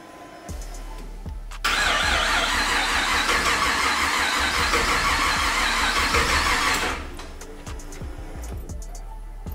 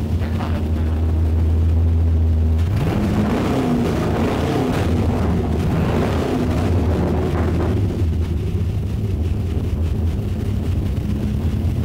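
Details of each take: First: 1959 Chevy Apache with LS3 on a new custom wiring harness, first key start, turbos not connected, fuel pump possibly mounted too high: steady starter cranking about five seconds with even compression pulses, never fires; cranks, no start. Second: 1959 Chevy Apache pickup with LS3 V8, first key start after full custom rewiring, turbos not hooked up, fuel pressure just adjusted: V8 catches and settles into a deep steady rumble with even firing, no misses or knocking; normal running.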